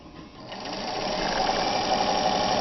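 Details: Restored 1960s Kenmore 540 sewing machine straight-stitching on heavy denim: smooth, steady whirr with an even fast needle rhythm, no knocks or catches; runs cleanly, normal.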